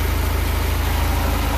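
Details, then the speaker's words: Houseboat Volvo Penta 130 inboard after tune-up, original distributor cap refitted, fuel tank reinstalled: restarts after failing earlier and idles with a steady, even low rumble, no misses or knocks; normal idle. "let's see if i could start it up again i couldn't a while ago oh fired back up this time"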